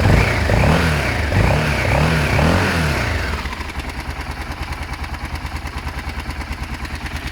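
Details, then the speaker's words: Motorcycle engine (BMW F650 Funduro or Kawasaki ZL600 Eliminator) fired straight up after cleaning the coil wire; blips up and down, then settles to a steady even idle with regular thump, no misfire or clatter. "I cleaned the the wire on this coil I forgot to do it and it actually fired straight up it was cake obviously"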